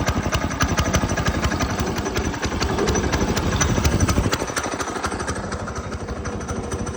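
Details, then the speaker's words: Go-kart small single-cylinder engine just fitted with a new 30mm carburetor: thumps along steadily at about three firings a second with no misses or stumbles, with much more power; clean normal running. "a it's running good seems like it's all working it has so much more power"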